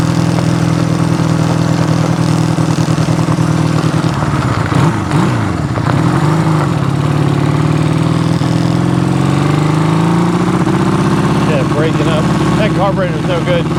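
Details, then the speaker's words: Honda CB200T twin after camshaft and valve replacement, first ride: exhaust wavers and stumbles as revs climb, breaking up under load; misfire under load, carburetors suspected. "good we're going to figure out these carburetors but it's running that's all I care about right right now"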